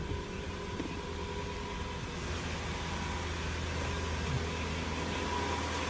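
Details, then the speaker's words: 2002 Lexus LS430 at idle after an alternator replacement: a quiet, low, steady hum with none of the old whining whistle from the engine bay. The owner plans to keep the new alternator, though the whine still comes through the stereo with Bluetooth connected. "That sounds a lot quieter. I don't hear any of the whistling."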